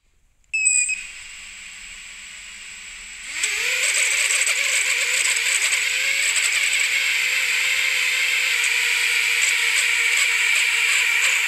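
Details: Lumenier Lux quad: motors chirp, then spool up to a shrill whine that wavers and warbles unevenly, motor oscillation; suspected gyro noise or vibration issue, unconfirmed.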